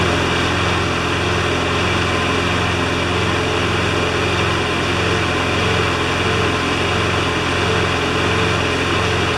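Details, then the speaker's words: John Deere JS25 mower's small single-cylinder engine, under teardown/repair, ticking over at a steady, even idle with no misses or knocks; runs smoothly and healthy on little fuel. "When I'm happy, it runs. Almost want to do that again."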